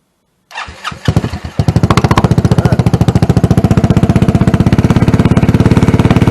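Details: Engine swapped into Tomberlin Punisher buggy: catches after a few stumbles, then settles into loud, even thumping idle around fourteen pulses a second; strong, healthy running, likened to a GY6 150 on steroids and a Yamaha 250 four-stroke.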